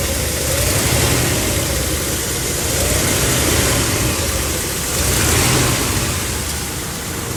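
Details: 1964 Chevy Impala V8 running after repair of a crank-no-start fault: steady burble with a couple of gentle throttle swells, catches cleanly without stumbling; normal idle.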